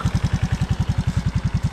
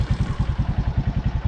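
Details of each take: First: Suzuki Raider J 110 Fi, idling before valve adjustment: single-cylinder thumping with light ticking on top; loose valve clearance likely; spec intake 0.04–0.08 mm, exhaust 0.12–0.16 mm. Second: Suzuki Raider J Fi idling in neutral after valve clearance adjustment: steady, even idle with soft regular pulses and no ticking; tappet noise gone, normal idle.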